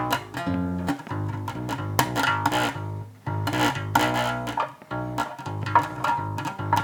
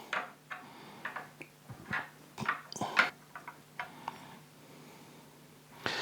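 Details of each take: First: 2012 Japanese Fender Jazz Bass after a setup to cure fret buzz, with strings radiused and lowered. Plucked notes ring clean and even with no rattle; slight buzz is said to remain only when digging in. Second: Fender Jazz Bass setup: fret rocker tipping over frets gives light, irregular clicking chatter on frets 16 and 19, which stand slightly high and might be worth filing to allow lower action and cure fret buzz.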